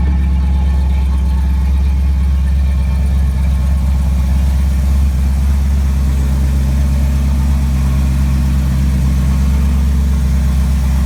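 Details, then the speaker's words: Ford 460 V8 with newly fitted FiTech fuel injection, about 30 miles on it, started cold after inline pump priming: deep, steady low rumble with an even beat and no misses or knocks; idles smoothly. "and now I'll start it you can say it's not very warm at all"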